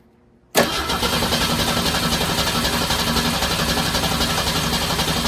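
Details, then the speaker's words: Torino with 250 inline six and Carter RBS one-barrel carburettor, just rebuilt and bowl filled with carb cleaner, choke set: catches abruptly then runs rough, uneven and lumpy without settling; engine flooded. "stay I may have it flooded now going to start yeah she's flooded"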